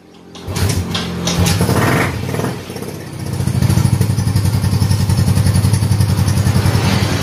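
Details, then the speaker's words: Yamaha Mio M3 125 scooter with hard starting, stalling at idle and heavy vibration. After cranking it catches, then runs low, lumpy and uneven, shaking and dying when the throttle is released. Intermittent compression loss, with thick carbon on the piston crown. "ini Apabila saya agak sedikit itu langsung getar ya teman-teman Dia langsung mau mati apabila dilepaskan gasnya dia langsung mati ya teman-teman"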